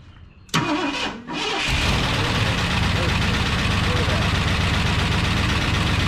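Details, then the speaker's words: 1972 Ford F250 Ranger XLT Camper Special, first start after sitting, coil hot-wired: starter catches in half a second, fires and settles into a steady, even, clean idle; pretty quiet, sounds pretty good. "pretty quiet she sounded pretty good"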